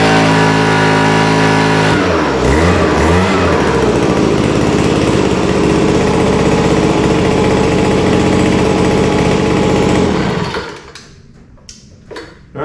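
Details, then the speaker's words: Vintage WeedEater leaf blower with Walbro diaphragm carburetor, no high-speed mixture adjustment, air cleaner off: revs climb to a thin, buzzy high speed that won't take throttle, then die; lean on the top end. "It actually sounds like it's running okay. It's a little bit lean, I can tell on the top end. It doesn't want to take the throttle."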